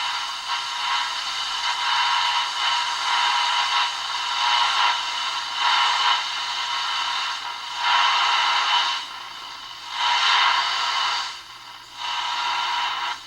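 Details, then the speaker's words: Ross RE-1207 radio after main filter capacitor replacement, other capacitors still original: plays the local station with steady hiss, no hum or crackle, weak pickup at the other end of the dial. Normal radio reception. "as you can hear it doesn't pick up much of anything now this is supposed to be tuned rf stage it does have a three gang tuning capacitor and i assume rf transistor"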